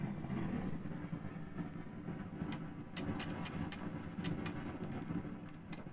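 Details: Pioneer SX-838 vintage receiver, cover off, noise only in phono mode: low steady hiss and hum with sharp irregular crackles and pops, noisy preamp transistor, later replaced with a 2N3906 substitute.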